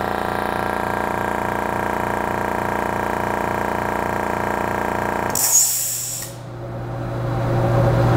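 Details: Rolair JC10 air compressor after replacing the crusty check valve: motor and pump drone steadily with an even pulse about three strokes a second, then cut off; charging normally.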